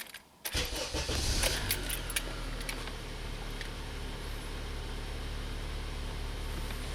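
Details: 2004 Honda Accord EX 2.4L four-cylinder after alternator replacement: short crank, catches at once, then a steady even idle with no squeal or misfire; alternator now charging properly.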